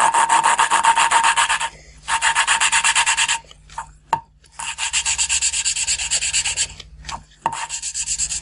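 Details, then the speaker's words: Renault 4L valve re-lapped with coarse-grain paste: rhythmic rasping strokes about four a second turning quickly duller and muffled as the seat beds in, a sign of good lapping. "Là, vous entendez bien très rapidement le son, ce feutre. Donc là, c'est signe qu'on est en train de faire un bon rodage."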